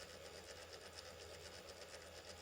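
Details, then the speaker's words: Brite-Source 120 W LED corn lamp, dead with overheated burst capacitors: fast steady ticking rattle several times a second over a hiss from an internal fan running very slowly; failing cooling fan rattle, likely letting the heatsink overheat. "it sounds like the um fan died in this light and once the fan started doing what it's doing now which is running very slowly and making some bad noises"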